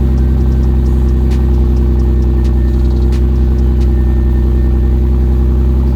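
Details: Toyota 2JZ-GTE on an E50 mix (E85 and 93) after sitting three days: loud uneven, lumpy idle stumbling like a cylinder misfiring; also misfire under boost, popping, power loss, delayed throttle response, running rich.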